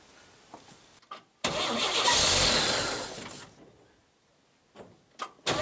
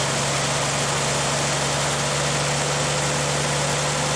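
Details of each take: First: 1959 GMC old six-cylinder truck: starter spins evenly about two seconds without firing, choke confirmed working, fuel not pumping; after priming, cranks again and catches. Crank no start from no fuel delivery. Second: 1959 GMC old straight-six truck after fixing the fuel pump, which is now pumping: it starts and settles into a smooth, even low idle, down to about 300 rpm, steady hum, no misses or knocks; normal idle.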